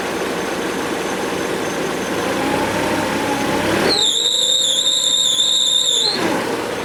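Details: Mercedes W202 C200 after tensioner and V-belt replacement: as revs rise a loud steady high-pitched squeal cuts in for about two seconds, then drops away; source not yet found.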